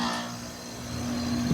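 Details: Outdoor AC unit after a bad capacitor was replaced: compressor starts and runs with a steady low electrical hum, normal.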